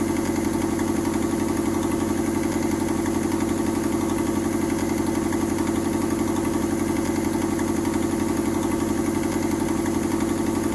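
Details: Mazda 121 Metro petrol engine idling with an exhaust leak: steady idle with a sharp, raspy puffing chuff, about four pulses a second.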